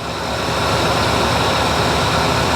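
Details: AMC Jeep CJ5 running smoothly after the new carburetor was installed: steady, even engine roar with a slight rise in load, no stumbles or knocks; new carb doing its job, vacuum ports blocked off, choke not yet hooked up.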